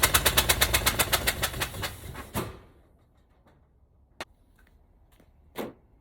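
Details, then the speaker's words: 1965 Cadillac hearse, four-wheel drive, seized and sitting for years, wire run from distributor to battery, starting fluid sprayed: loud uneven popping about seven bangs a second for two seconds then stalls; rough first start. "i can't say that's the best fire up i've had but it started well guys i know that's not exactly what we hoped for and it doesn't sound great but at least it fired up tonight"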